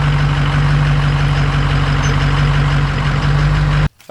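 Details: 2005 single cab 6.0 diesel truck with a cylinder 8 contribution fault: deep idle with a lumpy, uneven beat as one cylinder drops out. Low compression suspected, rings possibly broken or stuck from years of sitting, before a compression test.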